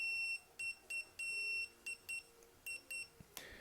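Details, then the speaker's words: Ford Escort Mk6 heater blower fan speed fix: new 250V 10A 128°C thermal fuse checked with a multimeter before fitting, short high continuity beeps as probes touch; fuse intact, good. "So we know that's a good one."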